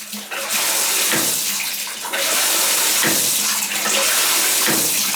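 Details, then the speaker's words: Tub faucet running with a sharp click about once a second; the plumber identifies the failing shower valve cartridge as the cause and plans to shut off the water and replace it. "that's the cartridge that's the cartridge i think hear it clicking that there you mean"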